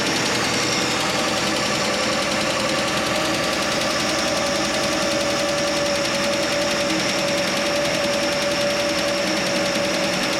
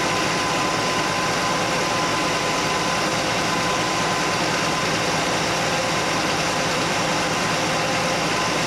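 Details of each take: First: Straight-six Chevy Nova idling after exhaust manifold donut and exhaust leak work, cold garage: light, quick, even ticking keeps time with the engine; owner suspects a lifter tick, later traced to one loose rocker arm. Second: Straight-six Chevy Nova at steady idle after correcting one crooked, loose rocker arm; clank gone, valvetrain sounds healthy with no tap breaking through. Rocker adjusted, then backed off from 3/4 turn because it ran rough. Normal idle.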